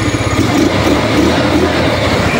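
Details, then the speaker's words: Rusi Rapid small single after repair of idle that kept dying: steady even idle with no stumbling, holds running on its own without throttle; idle RPM now higher, no longer stalls. "Hindi na siya namamatay mas aggressive pa yung RPM ngayon hindi na siya namamatay"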